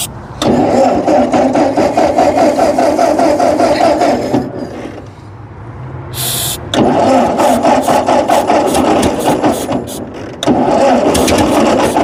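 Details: Ford 8N tractor, 6V, abandoned in storage for about 8 years, started on ether: lumpy, uneven chugging, likely running on only two or three cylinders; oil pressure 20–25 psi.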